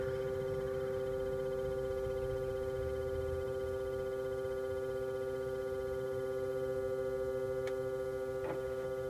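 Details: 2010 Iveco Daily IV 45C18, camera near the source in the engine bay after ignition off: starts with a click (owner suspects a relay), then steady hum with two strong tones slowly fading; recent, workshop says normal.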